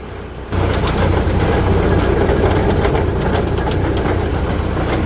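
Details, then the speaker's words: MK Martin Meteor rear-mount 3-point snowblower on Massey Ferguson, PTO driven, rumbles loudly only when fully lifted, fine when lowered. Heavy rough low rumble; owner suspects bad gearbox bearing behind impeller, possibly universal joint. Gearbox rumble. "that doesn't sound good I think it's coming from that gear box right there and going through to the impeller"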